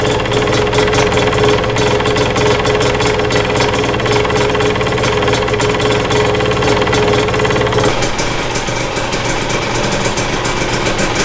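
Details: 2022 Husqvarna TE250i two-stroke, 157 hours, first start after top end rebuild, fuel lines likely empty: crisp even idle with fast steady beat and slight rev drop later; engine sounds healthy.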